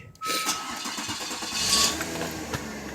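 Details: 2000 Mazda Millenia with a crank-no-start complaint, in freezing weather: with the fuel pump relay jumped, a brief crank and then it catches into a smooth, even idle. The fault traced to the computer's ground to the relay.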